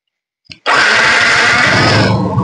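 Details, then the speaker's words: Yamaha Exciter 135 started in neutral after repair; in gear the red-black safety wire requires the clutch pulled. Quick click, then the starter spins and the engine runs at a strong, steady pitch. "Đang mo này đang mo thì ấn đề rồi Đúng chưa ạ"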